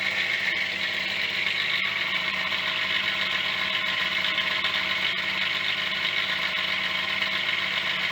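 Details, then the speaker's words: Yamaha DT50MX two-stroke after choke and brake cleaner down the intake, with many small faults: thin busy idle with dry metallic rattle and scattered ticks, sounds like a bag of bolts; cause unclear. "oh still sounds like a bag of bolts"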